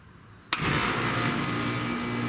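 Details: Outdoor AC condenser unit after replacing a failed contactor (before, it hummed and only the fan ran, blowing hot air): near silence, then a sharp start and a steady hum, normal startup and running.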